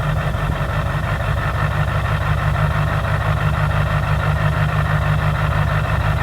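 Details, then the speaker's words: 2005 Duramax LLY diesel, cold start with dead batteries and a check engine light: steady idle with a dull, regular bottom-end-sounding knock in the clatter; compression test suggests the engine needs replacing. "i bought this truck many many months ago and it's got a bit of an engine knock noise not really for sure what's going on with it"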